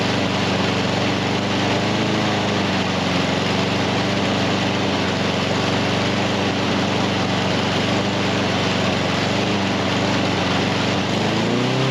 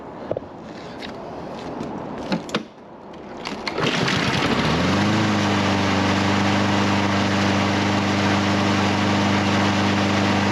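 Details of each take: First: Husqvarna HU700F mower that won't stay running, after greasing parts and freeing a slightly stuck pin; runs loud and uneven, revs wandering and sagging near end. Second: Husqvarna HU700F mower after carburetor work for a won't-stay-running problem; fires at about four seconds and settles into a steady, even hum with no stumbling; normal running.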